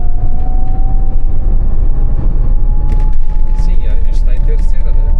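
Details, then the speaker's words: Ford Mustang Fox Body converted to a 500 hp electric motor, original manual gearbox, driving in third at about 2000 rpm: clear, steady mid-pitched gearbox whine rising slightly in pitch over a quiet drivetrain; normal original-gearbox noise. "You hear the noise of the gearbox now You hear the noise of the gearbox, that's an original gearbox"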